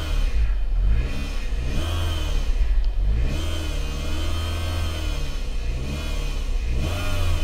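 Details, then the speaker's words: Saturn Ion Level 2, 82,000 miles, revved in place: rough uneven drone rising with rpm in repeated pulls; still goes into gear forward and reverse; owner suspects a transmission problem, unconfirmed. "I don't know what that noise is, but that does not sound good. It does go into gear, goes backwards, goes forwards. I'm thinking maybe a transmission problem."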